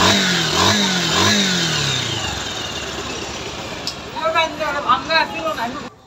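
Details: 2019 Bajaj Pulsar 150 UG5 after repair of CDI-related RPM problem: engine catches and revs up and down smoothly, cleanly, without misfire or rattle; bike now runs properly.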